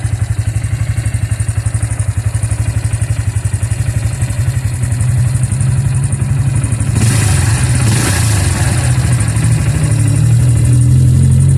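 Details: Bajaj single-cylinder engine after the engine was opened up, idling with a thump of about four beats a second and a loose clatter on top, rising slightly. Abnormal mechanical noise; cause unknown.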